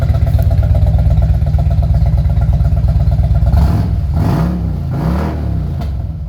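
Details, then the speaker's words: 2000 Harley-Davidson Road King with aftermarket exhaust and no programmer, after swapping old plugs for new NGK iridium plugs to chase a bad miss: even loping idle with steady firing and light blips. The misfire is cleaned up, though the bike smells rich. "so here we go guys oh man that sounds a lot better than it did"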